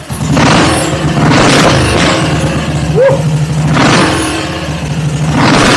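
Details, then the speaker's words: BSA Gold Star single, first start after replacing a corroded needle stuck in the atomizer with new jets: lone cylinder thumps evenly and picks up cleanly on each throttle blip, then settles; normal running. "what a beast what a beast i'm with this ladies and gentlemen i'm so true this is brilliant wow what a sound"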